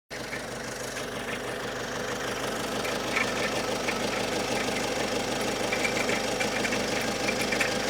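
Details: Great Wall Hover H5 diesel at idle: a fairly regular knock, about three per second, rides over the diesel clatter. The knock comes and goes, and its tempo does not change with engine rpm; its origin is unclear.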